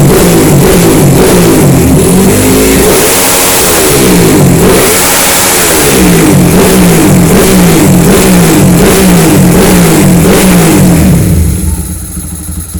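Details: Honda CB fuel-injected motorcycle, long unable to start due to a failed injector, after fitting a racing injector and ECU remap: crisp even blips rising and falling, settling to steady idle with no stumble or misfire; runs healthily.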